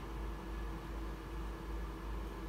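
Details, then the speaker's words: Breville Smart Oven Air Fryer (BOV900 or BOV860) just switched off: cooling fan keeps running, a steady low airy whoosh with faint constant hum, no clicks; opening the door lets it stop within minutes. "here the oven is on and i'm going to let you hear the noise the sound when i the of the fan when i turn it off can you hear the fan is still going"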